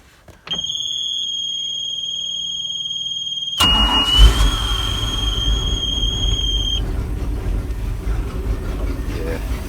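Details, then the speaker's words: Bayliner Capri boat with a 5.0L V8 MerCruiser, after cleaning and reassembling the dirty carburettor to cure stalling and a flat spot. High starter whine, then it catches and settles into an even, steady idle on auto choke with no misses. "beautiful sound let it warm up it's got the auto choke on that one let it do its thing"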